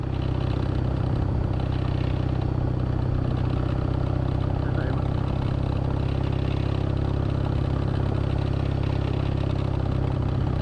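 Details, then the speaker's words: Kawasaki W650 twin engine drone with a light buzzy rattle at about 40–60 km/h while riding: metal parts in the headlight vibrating against plastic, a known W650 issue; fix is taping inside the headlight inserts. "this rattling comes from the headlights some metallic parts vibrating on plastic making this annoying sound"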